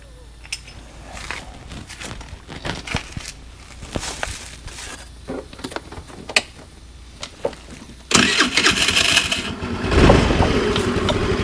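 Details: 50cc Chinese GY6 scooter started after replacing an exploded variator: a few clicks, then fires and settles into a steady, even buzz with no clanking or grinding; running normally.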